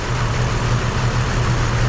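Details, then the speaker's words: 2005 Isuzu SUV at idle: low steady idle with uneven stumbling beat, one cylinder dropping out; unplugging that cylinder changes nothing, so the coil pack is judged junk and replaced with a new one. "so that tells me right there that coil package junk"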